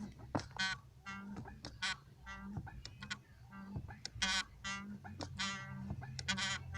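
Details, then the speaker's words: 2012 Fiat Palio 1.4: honking, rubbery squeaks about twice a second as the clutch pedal is pumped. A failing clutch master cylinder with a torn dust boot is blamed. Worse when warm in heavy traffic, pedal stiffens. Fix: replace cylinder, lubricate pedal bushings. "ele que apresenta esse problema Esse barulho todo vem dele tem que ser feito a troca desse cilindro do pedal e a lubrificação das buchas aqui do pedal certo aí vai resolver todo esse problema"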